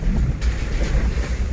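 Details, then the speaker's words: Isuzu Trooper driven over potholes after fixing a long-standing cabin squeak by refastening panel screws with bolts: only low road rumble and thumps, squeak gone, just a plastic roof box tapping on bumps; normal quiet cabin over bumps. "перед тишина сейчас опять будут ямы сейчас узнаем как хорошо тихо"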